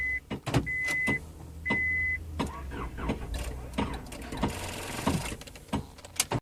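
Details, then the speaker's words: 2000 Honda Accord no-crank no-start with low battery and new negative terminal: repeated clicks and short cranking bursts with beeps, nearly starting while someone taps the starter; failing starter motor. "So the car almost started. Now we're going to try and start it again with the booster pack connected. We're able to start the vehicle while tapping on the starter, so we're just going to go ahead and replace the starter."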